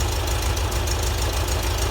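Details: VW Type 4 air-cooled flat-four at the shop, warmed through heat cycles, after original 009 distributor and Bosch ignition and idle jets changed 55 to 50: steady low thrum, even firing, no misses; runs much better, normal idle.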